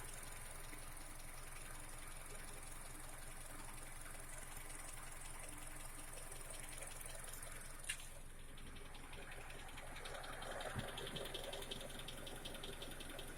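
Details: Honda CR-V K24A engine at idle: light, quick, even ticking over a quiet steady idle, not changing with load; valve tick, typical of loose valve clearance.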